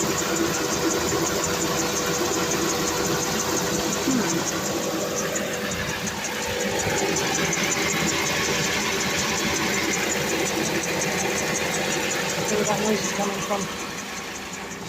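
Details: Idling engine: rough, uneven ticking mixed into the hum, a few beats a second; strange engine noise, source unclear.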